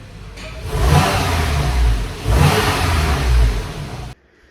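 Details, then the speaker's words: Porsche 991 Carrera S after replacing the exhaust flap solenoid: two smooth blips rise and fall cleanly with muted exhaust note, no drone; valve holding quiet start-up mode properly. "So they start up in quiet mode, so give it a rev. Sounds quiet to me."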